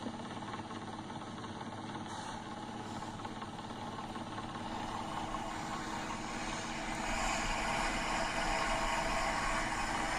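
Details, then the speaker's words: Dust collector fan, opposite-pulley fan shaft bearing with serious shaft play and run-out, later requiring both bearings and the shaft replaced: loud rhythmic knocking, three or four beats a second, over a steady running drone; failed fan shaft bearing. "they had to replace both the fan shaft bearings and the whole shaft from the run-out but you can see that thing it's got some serious play in it"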